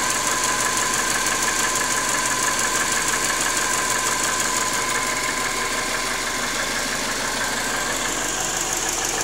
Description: Subaru Forester SF5 T/tb '97. Стук 4-го цилиндра на непрогретом моторе.